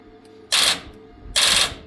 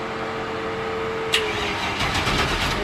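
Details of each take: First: Tuff Truck project: starter gives two dry clicks about a second apart with no cranking; owner suspects weak or bad battery lacks power to crank, jump-start mode didn't help; cause unconfirmed. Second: Tuff Truck project, powered by jumper cable clamped directly to battery-to-starter power wire with ground on door: even starter cranking about four pulses a second, spins freely without scraping but doesn't fire; a spark occurred at the makeshift connection; normal cranking.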